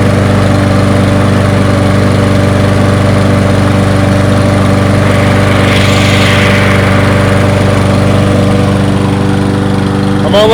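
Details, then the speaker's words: Toro 22-inch Recycler mower after a fix, burning off excess oil; single-cylinder settles into a steady, even idle with a constant low thrum, no misses or surging; runs fine. "it run let it burn it off got a lot of oil look at this thing holding a steady idle"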